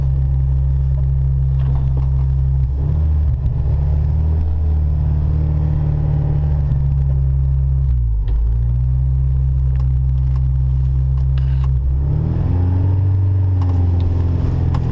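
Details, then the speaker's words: Modified 1992 Honda Civic hatchback with a B18A1 engine, driving: a deep, steady droning rumble under the engine note. The owner says it is a bad wheel bearing. "Bad wheel bearing, y'all are gonna hear that."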